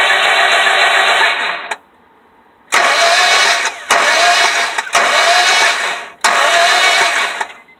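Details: 2001 Honda Civic that won't start: five separate cranking bursts of about one to one and a half seconds each, with quiet gaps between; the engine never catches. Crank, no start.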